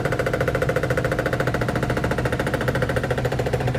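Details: Whirlpool top-load washing machine in its spin cycle: steady, rapid banging about two knocks a second, the basket hitting the cabinet because the machine isn't level on the floor.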